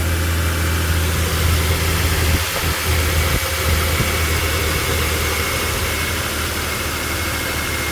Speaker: We're going to crank it up and we're going to hear make sure it's not squeaking anymore. And there we have it. No more squeak squeak squeak squeak squeak.